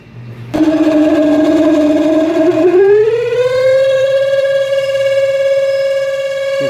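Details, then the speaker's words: Samsung twin-tub washing machine, spin side near the motor: loud steady squeal rising in pitch as the spin basket speeds up, from a dry basket shaft and seal. "Se escucha un ruido, amigos, que viene de esta parte de aquí, donde está el área de centrifugado, por donde está el motor, amigos. Se escucha un rechinido."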